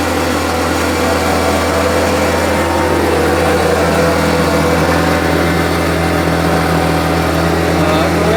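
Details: Homelite UT08572 two-stroke trimmer, final test run after repair: smooth, even buzz at steady speed with no stumbling or surging. It earlier would not idle down, and the owner will check whether an earlier "tink" noise is gone. Running well.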